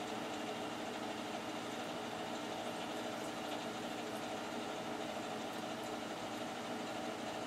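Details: Boiler only a few years old, side-vented, first start of heating season on a cool morning, draft blower on, warm water circulating. Quiet even hum of burner and circulator, no rattles or surges; normal running.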